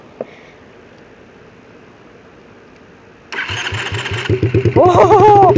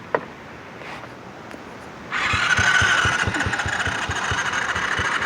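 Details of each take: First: Quad (ATV) single-cylinder engine starting after internal engine checks and a hard-start no-start from suspected water in rain: starter cranks about three beats a second, then fires and settles into a fast idle; motor not blown up, normal start. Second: Quad (ATV) engine cranking after cleaning the spark plug: starter spins steadily with even compression pulses about three a second but never fires; won't start, intake valve not sealing, and owner moves on to suspect the carburetor.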